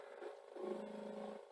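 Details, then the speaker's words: New-old-stock Sony SLO-1700 Betamax (C9 deck) during a fast rewind, lacing then relacing to finish the wind: quiet, even motor whir with soft mechanical shuffles, smooth and steady, a healthy deck. "it's called and you can hear it's the deck is really good it's so nice to hear typical c9 deck sound as well"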